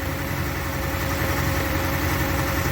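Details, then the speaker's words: 1985 Chrysler New Yorker not started in a few months, not charging its battery, idle air control hunting: idle pulses unevenly with an off-beat thump like a cylinder dropping out; missing at idle, suspected dead cylinder. "almost sounds like it's missing probably doesn't help with that it's not charging that battery may not be it's definitely sound like it's missing on a cylinder"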